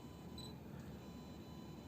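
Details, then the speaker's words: Yongnuo 42.5mm f/1.7 autofocus on an Olympus E-PM2 with the EVF, at 1/50 and auto ISO about 1600. A faint brief electronic whine as it hunts; focus is noticeably slower than on the E-M10 and sometimes fails to lock. "This is noticeably slower to acquire focus. And sometimes it doesn't acquire focus at all. But you can hear that electronic sound from the focusing."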